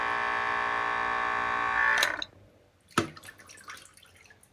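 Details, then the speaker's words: Spyra 3 water gun after clearing its error and a blockage: the refill pump motor sucks in water with a steady, even buzzing hum for about two seconds, then stops with light clicks; normal refill, though the trigger later does nothing. "It's supposed to be sucking the water into the machine. Looks like it's doing that. The motor going,"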